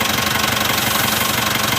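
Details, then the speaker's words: Mitsubishi engine at idle: fast, even "kit kit" ticking keeping pace with idle over the engine hum; balancer belt judged bad, compared with a quiet healthy engine. "صوت كيت كيت كيت كيت. شوف بالانسر بيلد برا مافي كويس."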